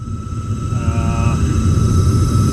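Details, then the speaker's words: Heil gas furnace on a no-heat call, just fired up: a steady high squeal at constant pitch over the low rumble from inducer motor bearing noise; the motor has no oil ports, so a new motor is needed. "I wonder if I can oil that motor. I will do that."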